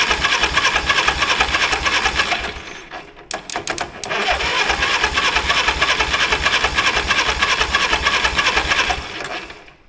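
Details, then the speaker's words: 1960s Caterpillar pony engine cranking with clutch disengaged, good compression with a healthy thud: fast steady cranking chatter about three beats a second with no firing pops; no spark, usually oxidized breaker points in the magneto. "if this thing doesn't want to light off and we don't hear any kind of popping sounds out of it at all probably don't have spark I'm willing to bet that we don't have it anyways"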